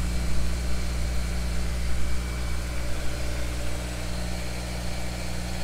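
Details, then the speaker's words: Honda S2000 four-cylinder just reassembled after cylinder head work, first start with preset timing chain building oil pressure then quietening: smooth, even idle with steady low hum, no knocks, ticks or hunting. "timing chain again we preset the timing chain so it takes a second to build oil pressure and quieten up sounds good"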